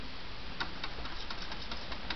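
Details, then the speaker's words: Xbox 360 disc drive with an open-tray problem ticks about four or five times a second over a faint hum while it struggles to read, stuck on reading. The owner's fix, not confirmed, is to put the top back on and tap it. "Yeah, it'll start doing that first. It'll make that sound at first."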